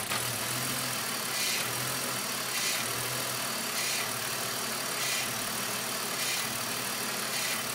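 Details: BMW Z4 rough idle: idle wavers with a slow surge about every second or so under a steady hiss. The air flow meter was recently replaced and is ruled out; cause not yet found.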